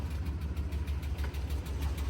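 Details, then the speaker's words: Auction truck at idle, exhaust manifolds splitting: rhythmic light tapping over a low rumble with a slight stumble. Owner suspects top-end lifter tap rather than a manifold leak, unconfirmed. "But that to me sounds like it's coming from the engine. That to me sounds like lift or tap"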